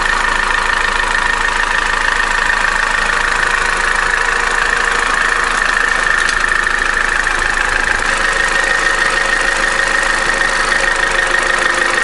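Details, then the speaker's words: Opel Corsa D with the 1.4 A14XER engine, 65,000 km, codes P0011/P0014, at cold idle during warm-up: busy clatter about three times a second. The Twinport flap is ruled out, low oil pressure is suspected, and the stretched, loose timing chain needs replacement. "так система twinport здесь ни при чём дело не в заслонка стучит где-то вот с этой стороны"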